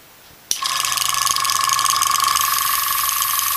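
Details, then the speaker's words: Iwata Sprint Jet (model 800) oilless piston airbrush compressor: starts with a steady high whine and a quick buzzing rattle as the air filter, just dropped into its bracket, sits loose and chatters; harmless, could be firmed up with tape. "now when I turn this on you're going to hear this rattling around little bit"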